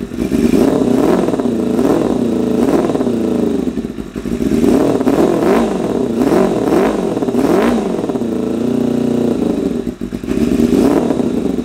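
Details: 1988 Kawasaki ZXR250 first run; idle uneven, surging up and down every second or two with a lumpy, spluttery note; running ridiculously rich, owner suspects idle mixture screws set 3.5 turns out from bottom are too rich.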